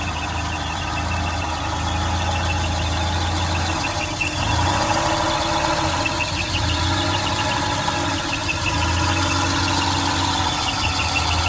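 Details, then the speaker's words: Volvo 240/740/940 engine, hard to start with rough idle: uneven low drone dipping and surging every few seconds, stumbling; cause is a fuel pressure regulator visibly leaking gasoline, which needs replacing. "I'm going to show the bad fuel regulator is leaking gasoline cause the engine shaking very hard to start."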